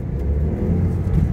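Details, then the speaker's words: Low-mileage Toyota MR2, sat unused since the start of Covid, running on old fuel with a slightly sticking clutch: strong, steadily building engine note under throttle with no knocks or misses, picking up nicely. "got some pep actually it's picking up really nicely really nicely considering like say it's old fuel"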